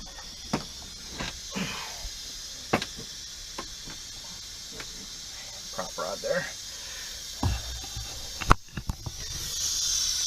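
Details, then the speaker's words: Peterbilt 352 cabover during restoration, air system pressurised with a compressor after installing the air dryer: constant high hiss of escaping air with some handling clicks; owner believes the air-operated windshield washer button is leaking, since the tone changes when he covers or presses it. "You can, I don't know if you can hear this, but there's an air leak up here."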